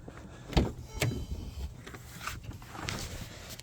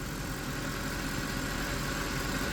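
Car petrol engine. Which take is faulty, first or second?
first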